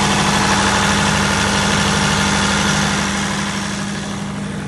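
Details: Perkins 1103A-33TAG2 three-cylinder turbo diesel in a 45kVA prime-power generator, running under load: a deep, steady drone with an even low hum and no knocks or misses. Normal running under load.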